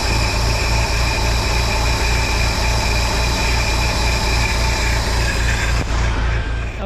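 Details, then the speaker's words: 1953 Willys CJ3B four-cylinder, stored in a shed for years, running on 2-year-old fuel: steady, even idle with a regular low thump and no knocks or misses; runs smoothly. "okay so we got it running it's running on 2-year-old fuel which is amazing"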